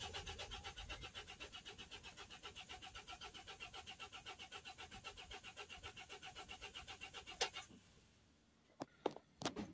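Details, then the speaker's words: Mercedes Sprinter 2.1 diesel, crank no start with fault P0087 fuel pressure too low: steady starter churn just over two turns a second, never catches; live data shows fuel rail pressure at zero, no fuel reaching rail or low-pressure side. DPF fault present but its pressure is not high enough to stop starting. "look at the fuel rail pressure there so there's no fuel oil pressure at all it's on zero"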